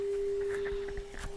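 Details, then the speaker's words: Pioneer SX-1250 receiver after tuner service, fed a 15 microvolt FM test signal: steady pure mid-pitched tone through light static hiss; tuner pulls in the weak signal cleanly, working normally. "you can see right now I have a one a 15 microvolt signal going in here and you can hear it with static"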